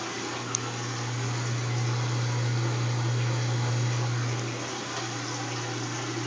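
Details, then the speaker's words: Kenmore washer entering spin cycle: water drains and motor hums steadily but drum doesn't spin; lifting and closing the lid makes it spin, needed twice per wash. Drum not spinning. "it's going into the spin cycle you can hear the water draining but you hear the motor but it's not spinning can you hear the motor"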